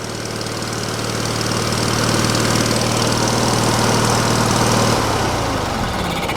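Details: Wood splitter small engine after switch work, choked, fuel pump audible, air cleaner off: steady even putter with a firm low drone, easing off slightly at the end; running normally.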